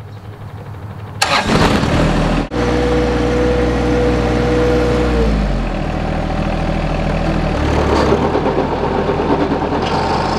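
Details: John Deere tractor with 60D 60-inch mower deck at 430 hours: the engine starts, then a rough gritty grinding rides over the run once the deck is driven, from a failed bottom output shaft bearing in the gearbox, with oil splatter nearby.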